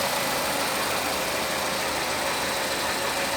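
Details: Renault Megane 3 with K4M petrol engine idling smoothly after replacing the knocking cam phaser (phase regulator) and its valve; no knock from valve timing.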